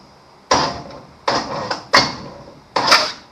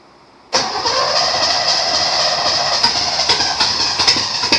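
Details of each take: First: 1953 Chevrolet Bel Air rat rod, small block Chevy V8, plug removed, finger over the hole, starter tapped: four sharp puffs of air, a strong compression-stroke whoosh, before setting top dead center. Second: 1953 Chevrolet Bel Air rat rod small-block Chevy V8 first start in 30-odd years after new plug wires: cranks, catches abruptly, then runs rough and uneven with ragged bursts.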